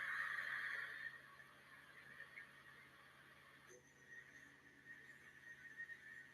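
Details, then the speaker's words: Milling cut after the workpiece was set deeper into the vise jaws: quiet, even cut with steady high tone, no longer the hollow vibration chatter heard when the part sat out in the air. "Entonces cómo se mejoró ese proceso si escucharon por ahí se veía muy muy hueco ese ese ruido de maquinado son vibraciones cómo se soluciona metiendo la pieza más hacia la prensa y trabajando"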